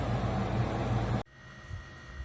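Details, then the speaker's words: Camper trailer radiator fan after fixing damage and fan shroud rubbing that caused out-of-balance vibration and racket; about a second of smooth, even fan rush with no knocking or rubbing. Normal running. "so this is running real smooth I'm definitely happy with how it's running right now"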